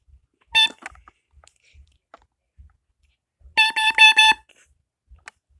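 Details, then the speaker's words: Kidde KN-COD-OP 5833 carbon monoxide alarm made May 2007 (CO only, not smoke) on test: one clear high beep, a pause, then four quick loud beeps. Normal test. "this is made in 2007 so this is carbon monoxide alarm this is not smoke alarm it doesn't detect smoke so"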